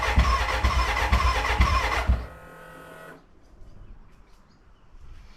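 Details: BMW K100 café racer first start after rewiring, tank newly fitted and fuelled: starter churns in steady pulses about two a second for two seconds, then quits without catching, a cranking no-start; owner suspects the battery died and will recharge.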